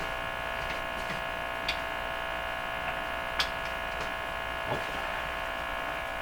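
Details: Stromberg Carlson Model 515 tube radio, volume about 20%, after warm-up: steady low buzz with a bright edge constantly under the audio; mains hum in speaker output, source unknown.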